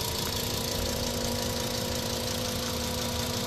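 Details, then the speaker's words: 2008 VW Rabbit 2.5L five-cylinder, 5-speed, 119k miles, idling before an oil change: steady idle with light fast ticking clatter over the engine note; noisy clattery top end, owner hopes fresh oil quiets it. "so you can hear how noisy this thing is right"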